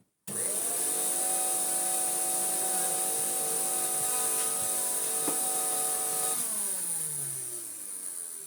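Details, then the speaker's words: 1998 Hoover Turbopower 2 vacuum, 1100W motor, after fitting new motor bearings: it spins up to a steady whine that sits lower and rougher than it should, then winds down. Sounds better, but a deeper motor fault is suspected. Vacuum motor running slow. "I mean, it sounds better, but no, I think there is something more deeply wrong with this motor."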